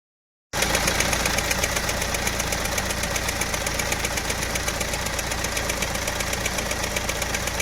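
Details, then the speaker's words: Engine at steady idle with a sharp, regular chirping tick about four times a second from a slightly cut, damaged drive belt; check the belt for damage and replace it to stop the noise. "ஆனால் இந்த நல்லா இதை உன்னித்து கவனிச்சிங்கன்னா belt வந்து லைட்டாக cut ஆகி sick sick sick sick சிக்னு அடித்தா எப்படி இருக்கும், அது மாதிரியான ஒரு சவுண்டு கேட்கும்."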